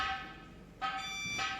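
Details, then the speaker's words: BharatBenz 24V truck whose reverse horn and light fail because the gearbox neutral sensor is faulty (neutral light stays on in reverse). Unplugging the sensor connector makes the reverse horn pulse loudly with a buzzy two-tone wail. "अगर ये sensor ख़राब होता है तो इसका wire जैसे ही socket निकालेंगे हमारा रिवर्स हॉर्न चालू हो जाएगा, तो आप सुन सकते हैं।"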